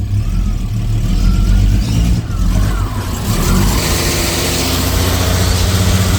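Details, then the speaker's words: 1988 Jaguar XJ S3 V12, first start after seven years, fuel changeover valve bypassed: engine catches and runs lumpy with revs hunting, popping on one bank; owner suspects faulty cold start sensor, unconfirmed. "doesn't sound real good 10 better I might just disable that cold start sensor that could be crook"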